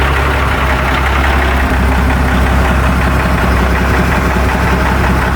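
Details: Seddon Atkinson 311 Cummins-powered classic truck, yard find unheard before, started again in neutral with no air intake fitted: loud, steady low diesel clatter at even idle, raw but no misses or knocks; normal idle.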